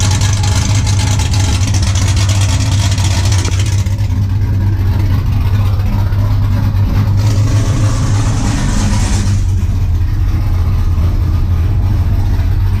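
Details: 5.3 LS-swapped 1991 Z28 Camaro, TSP cam, Holley Sniper EFI, muffler deleted to 3-inch straight two-into-one dump before rear axle: deep, loud, choppy uneven loping idle around 750 rpm; healthy cammed V8.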